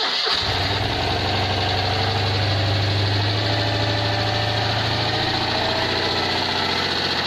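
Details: Citroën 2CV twin after overhaul with Burton 652cc upgrade kit and resealed oil cooler unions, first test run: short crank catches quickly, settles into steady busy even idle, no knocking; healthy.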